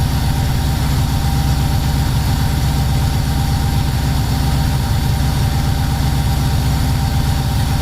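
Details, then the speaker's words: Subaru-swapped VW T3 Combi at first start, coolant at 76 °C and not fully warm: deep, uneven idle with an irregular low lope and no steady beat. An over-rich mixture, about 12.5 and smoking black, makes it run rough. "Je vais faire 12,5 en gros. Beaucoup trop riche."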